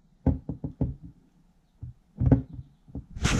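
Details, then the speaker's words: Fox body Mustang Flaming River steering rack, removed and turned by hand on the bench: run of sharp dry clicks about five a second, notchy feel; notchy steering rack. "it feels a little like nachi like I'm just doing it you know I'm just turning it with my hand here"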